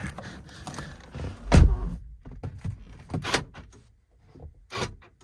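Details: Saab 9-3 power door lock after repair, tested with the door closed: firm single thunk, then lighter clicks and thumps; lock snaps over cleanly and works normally.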